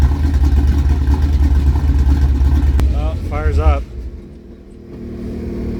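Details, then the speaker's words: 1976 K5 Blazer V8 that sat 5-8 or more years, oil black and unchanged, fuel poured into the carb: it catches and rumbles evenly for a few seconds, then sputters and quits, probably out of the priming fuel. "up that's probably all the gas I had in it one more fuel we'll try it again"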